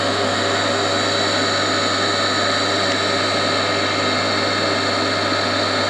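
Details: Old induction motor on a machine bought for restoration, first test run as it came, crudely wired: steady loud mains hum and even whir with no knocks or grinding; runs healthy.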